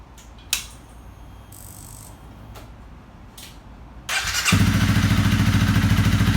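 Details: Honda CRF250L single-cylinder, 3851 km, after rebuild of broken piston ring with piston and cylinder replaced: quiet, then fires and settles into steady even thump with no knocks or ticks; healthy idle.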